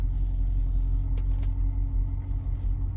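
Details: 2014 BMW X5, not the six-cylinder, idling: deep heavy rumble with little upper range, loudly droning exhaust like an open muffler; owner smells it running very lean, code shows bad oxygen sensor; cause of drone unconfirmed.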